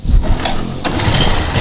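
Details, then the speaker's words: Yamaha Jupiter, first start after head reinstalled and very loose intake and exhaust valve clearances checked: starts on first crank with brief starter whirr, settles into steady, smooth idle without knocks; oil flowing well. "Nah, langsung hidup, sekali greng langsung hidup. Mesin halus ya, halus."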